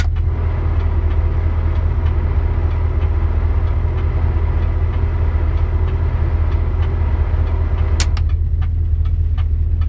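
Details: 1973 Dodge Dart with a 904 automatic transmission: sharp, regular ticking, two or three a second, over a steady low engine hum; cause unknown, and the transmission seems to use only two gears, shifting 1-2 or 2-3.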